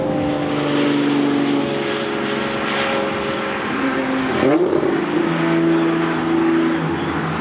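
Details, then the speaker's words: Lamborghini Murcielago V12, rear-wheel-drive swap, back on the road after loose bleed screws and new shift position sensors; deep even exhaust drone dips then climbs smoothly with revs, no misfire or rattle; normal acceleration. "oh that sounds good and I can't see anything out of this car"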